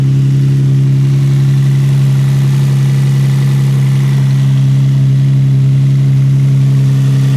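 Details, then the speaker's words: Infiniti G35 V6, just after replacing spark plugs: steady, even idle with a smooth low hum and no knocks, misses or stumbles; no blow-by; running cleanly on all cylinders. "so it looks like it runs pretty smooth doesn't like to have a blow-by or anything like that they did crazy so it sounds pretty even"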